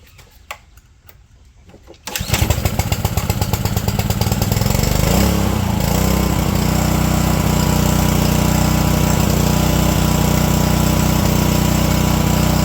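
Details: Ryobi pressure washer with GCV160 engine, 3000 psi, after a carb clean to fix a no-start from sitting over a year with bad fuel: quiet at first, then it catches and settles into a steady, even, fast putter with no misses or surging; running healthy.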